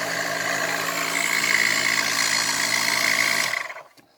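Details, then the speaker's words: eBay-return pump, reassembled and tested before going back in its housing: a steady buzzing hum with a bright whistling tone on top, even until switched off. It sucks and blows, running properly. "right so sucks and it blows just like a good girlfriend"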